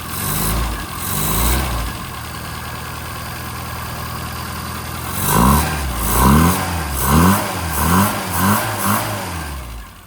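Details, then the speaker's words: 1992 Rover Mini Cooper SPi (Japanese-market), cold start after sitting a day: idles, then takes about six quick blips with a deep induction roar that drops back cleanly each time; healthy revving with loud intake. "Don't want to rev it up too much on a cold start, but just wanted to demonstrate that intake noise. It sounds great."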